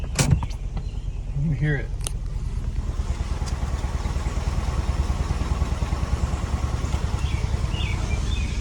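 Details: Car running an oil-burning fuel experiment began misfiring after driving through water, possibly down to one cylinder; uneven lumpy stumbling idle at about three pulses a second, rough running, cause suspected to be the water.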